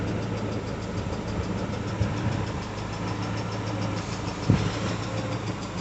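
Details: Peugeot 406 Coupé, 244,000 km, after timing belt replacement, warming up with coolant around 47–52 °C. The cold idle has a fast, even light tick that fades as it warms, confirmed as the hydraulic lifters.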